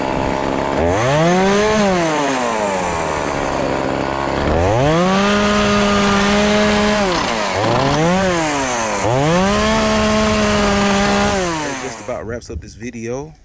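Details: Homelite chainsaw after carburetor and fuel line replacement and tune-up, test-cutting a pallet: strong two-stroke revs up, bogs slightly into each of three even cuts and recovers cleanly with crisp throttle response; normal full-throttle cutting.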